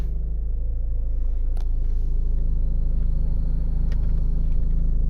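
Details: 2015 Ford Mondeo MK5 estate idling, heard in cabin from passenger side between front and rear: low steady humming drone; fuel pipes and cover under the car's left side came out of their bracket and vibrate against the underbody.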